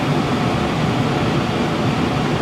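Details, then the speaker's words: Heil gas furnace after the burner cycle: sequencer has clicked, inducer amp draw gone, blower still running with a steady even whoosh and low hum, no rattles or scraping; normal blower run. "Okay, sequencer has clicked. There goes the amp draw. Amp draw is gone. Blower is still running."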